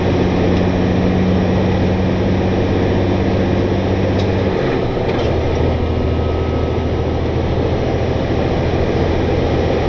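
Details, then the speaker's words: Truck on its first test run after a shop repair, lugged on the Jake brake: deep, steady diesel drone pulling hard with one smooth pitch drop, no knocks or misses, not getting hot; normal running under load. "seems to be doing just fine it's not getting hot it's running smooth so hopefully that means it is ready to go back to work"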